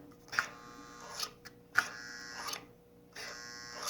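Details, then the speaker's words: Marx 595 toy locomotive, oxidized and unrun for decades, on powered track: buzzing bursts about every 1.5 seconds as the E-unit cycles, no motor whir; motor not turning, armature dirty. "can hear the e unit cycling that's a good sign"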